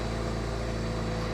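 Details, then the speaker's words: BMW 335i N54 engine, steady even idle with low regular hum and no missed beats after reseating a loose connector that caused a misfire; smooth idle. "That already sounds a whole lot better, brother."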